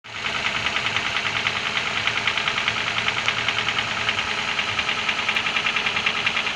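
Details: Internal engine knock: crisp, fairly even metallic tapping about three a second over a quiet idle; cause not yet found.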